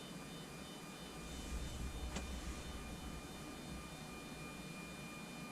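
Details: Anycubic Photon Zero resin printer, homing after flipping the leadscrew nut to cure a Z-axis squeal and refitting the top plate: faint even motor hum with no squeak or scraping as the build plate travels; normal, smooth Z-axis homing.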